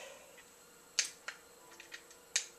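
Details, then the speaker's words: BEME e-Rod motorized drapery rod motor unit: sharp dry clicks, about four in three seconds, with no motor whir after them; a known-good power adapter was also tried; relay contacts have failed. "make some clicky noises but not moving"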